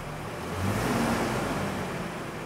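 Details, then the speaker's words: Nissan D21 Hardbody pickup after repair: steady, even engine idle with no squeal, chirp or grinding, after replacing the cracked power steering belt and the idler/tensioner pulley with damaged bearing, belt properly tensioned. "quedó el trabajo finalizado banda y polea nueva igual la banda bien tensada"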